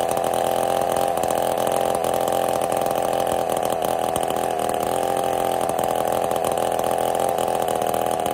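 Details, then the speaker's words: Ported Husqvarna 55 chainsaw: steady flat drone that never climbs to a crisp high scream; lost over 1,000 RPM within about half a tank, new coil didn't fix it, couldn't get through two cookies; power loss from scored cylinder. "I couldn't even get through two cookies I've lost over a th000 RPM since this started having issues in we'll say about a half a tank of gas the coil did not correct the problem so it's actually running pretty horrible right now"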